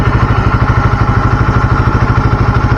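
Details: Engine idling smoothly when hot with a low, even thumping pulse and no ticking, clatter or misses, just after an oil change to Deltalube Adventure 731 20W50 at 2,000 km and some revving; normal idle.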